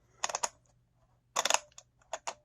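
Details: Arrma Vorteks RC car drivetrain running: extremely loud sharp, dry clicks in quick clusters, binds up at one point when turned; cause not identified.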